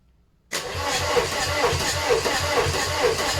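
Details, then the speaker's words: VW AHU TDI diesel on garage floor before installation in camper, first start attempt: starter turns engine at roughly two pulses a second without catching; crank no start, battery getting low. "battery is just starting to get a bit low and I don't want it to die on me."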